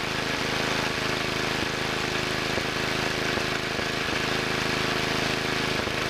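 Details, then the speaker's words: 1963 Wheel Horse 7763 with two 7 hp engines: steady run broken by irregular puffs about once a second, as one engine misses; heard on the rear engine and its main mixture adjustment tried; lean misfire. "that's a little better but I don't like that puffing sound sounds like one engine is missing a little [Applause] bit"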